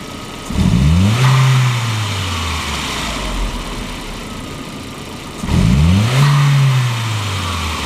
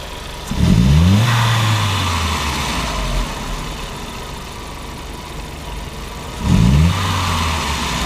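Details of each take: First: 1999 VW Passat 1.8T (AEB), intermittent hesitation and power loss, original MAF still fitted; MAF resistor allowed to cool, reading 0.9 V, for a known-good baseline. Two crisp throttle blips, revs climbing quickly and settling smoothly to steady idle: healthy throttle response. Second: 1999 VW Passat 1.8T (AEB): snap throttles with MAF reading high, rich condition, fuel trim at -30%, upstream O2 fixed near 900 mV, no fault codes. Two snaps from idle, revs climbing sluggishly then dropping: hesitation pointing to a faulty mass airflow sensor.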